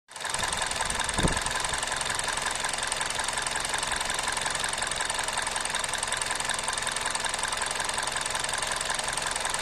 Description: Engine vibrates on Idle RPM drops aswell.